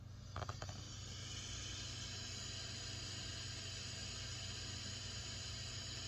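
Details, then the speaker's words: Practice bass amp with the gain all the way up, run on utility power as a baseline before testing a Bestek 300 W pure sine wave inverter: steady, even hiss with a faint low hum and no switching whine; typical normal white noise. "typical white noise when you have the gain all the way up"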